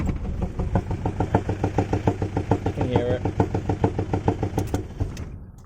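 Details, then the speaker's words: 1995 Mitsubishi Triton MJ with a 4D56T diesel running rough with heavy, deep rod knock at about two blows a second before shutting off. The knock appeared unexpectedly and is severe enough to risk a rod through the block. "we have rod knock first time i've ever heard it from this car not quite expected and not sure why it happened with this one but it's now there it's now present"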